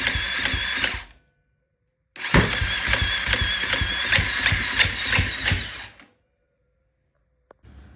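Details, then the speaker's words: 2016 KTM 350 SX-F four-stroke, crank no start after a top-end rebuild and sprag gear replacement: two cranking bursts with ragged compression chuffs that never catch, sounding like a valve or compression issue. The cause was a worn, slipping starter torque limiter gear. "So I'm like that's weird. It almost sounded like I had a valve issue or low compression or something."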